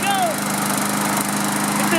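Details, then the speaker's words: Craftsman self-propelled walk-behind mower with Briggs & Stratton engine, sat unused for years; after fixing no-spark ignition coil and plug gap, given starting fluid, it catches and settles into a steady, even buzz without misses or knocks: normal running. "I'm going to give her a little shot of starting fluid and we'll make sure she FIRES RIGHT UP. YEEHAW! SHE'S ALL SET TO GO."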